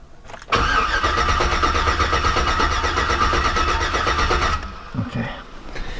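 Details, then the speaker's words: Hummer H3 after installing a 4L65E and Truck Norris cam, cranked with ignition and injection fuses pulled to build oil pressure: even starter cranking for about four seconds, no grinding or crunching, no firing. Normal cranking. "No real crazy crunchy noises. No grindy horrible terrible noises. So I'm happy about that."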